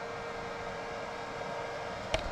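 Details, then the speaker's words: Bench-tested HP Z440 workstation board (Xeon E5-2686 at 3.1 GHz, 32 GB RAM, R9 280 graphics) without front and rear case fans connected; steady loud rushing roar with faint hum, fans stuck at full speed, owner suspects missing chassis fans. "I mean it's working fine other than the fans being wide ass open"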